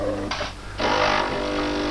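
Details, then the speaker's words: De'Longhi Perfecta coffee machine that grinds coffee poorly and squeaks loudly: brew unit cycles with harsh grating bursts over a low motor hum during testing. Unacceptable grinding. "ну действительно при тестировании работы заварного механизма выполняется с очень сильным скрежетом вот это конечно недопустимо"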